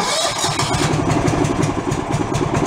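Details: John Deere 160 lawn tractor restored after engine, electrical, fuel and brake repairs, weak battery possibly jump-started: catches right away and settles into an even, steady single-cylinder putter without misses or knocks; normal start and idle.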